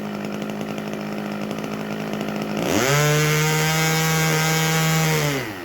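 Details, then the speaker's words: 32-year-old OS 61SF two-stroke nitro engine running static and level with muffler pressure: a steady high scream that breaks up slightly at the top end, running a little rich on purpose so it can lean out when vertical. "you can hear how it's rich so it's just breaking breaking up slightly rich"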